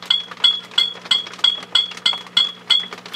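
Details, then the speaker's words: HP 400H AC voltmeter, shield removed from the 6CB6 first-stage input tube, tube tapped very gently; each tap gives a sharp high glassy ping with a short ring, about three per second, heard through a signal tracer; microphonic vacuum tube. "now if i turn the gain up on the ico 147a it'll squeal but i will turn it up just a wee bit now what it does is it goes into like an oscillation"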